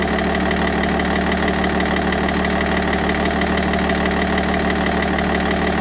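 Steady diesel idle with a regular knock, about three per second, riding over the clatter; it points to an internal knock, cause not yet found.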